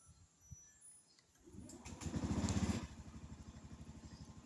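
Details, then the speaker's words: Honda Zoomer X scooter, started by holding the left (rear) brake and pressing the starter (won't start with right brake): brief crank, short rev, then steady even idle; normal start. "เราก็ต้องมากำเบรคทางด้านซ้ายเท่านั้นนะและผมจะสตาร์ทให้ด้วยนะครับทั้งด้านซ้ายก็กดปุ่มเขาจะติดนะฮะ"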